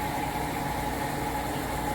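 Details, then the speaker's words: Amana (Whirlpool-built) electric top-load washer after belt conditioner treatment for a loud spin screech: smooth, steady drain-and-spin drone running empty with only a faint constant tone, no screech; normal empty spin. "should be nice and silent there you go that's what it should sound like running empty no more ticked off Eagle"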